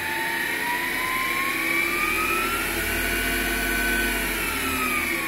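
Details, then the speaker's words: MX 8x14 mini-lathe with modified motor mount and reduced belt tension, no gears engaged, no load: steady high whine drifting slightly in pitch, owner thinks from the three-phase PWM motor controller. "but the high-pitched wine you can hear is i think the pwm controller the three-phase controller for the motor"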